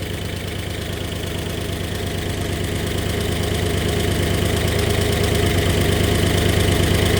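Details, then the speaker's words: 1964 Oldsmobile 394 V8, just started after sitting, light steady tick about three per second at idle, growing slightly louder, with a small exhaust leak under the manifold; owner suspects low oil pressure, unconfirmed. "it's definitely got a little bit of a tick and that could just be low oil pressure so I got to check that out"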